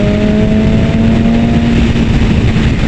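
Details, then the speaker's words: 2019 BMW S1000RR four-cylinder superbike on a first road ride, accelerating hard in 6th gear: loud engine roar with a clear, steady spaceship-like whistle over it as it pulls cleanly; normal acceleration. "Oh, ich weiß nicht, ob ihr es gehört habt, aber das Pfeifen von dem Bike, wenn sie Gas gibt, ist urgeil. Das hört sich einfach an, als würde irgendwie ein Raumschiff in den Hyperraum beschleunigen."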